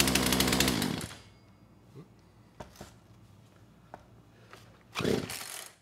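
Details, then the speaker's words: Poulan Pro PP4218AVX chainsaw, back after being lent out over 10 years: buzzy two-stroke revs and sounds good, then stalls about a second after releasing the trigger; won't hold idle, suspected jetting issue or carburetor needing rebuild. "i can throttle the engine up and it sounds good but as soon as i let off the trigger it goes to stall so potentially it is just a jetting issue or maybe the carburetor needs to be rebuilt"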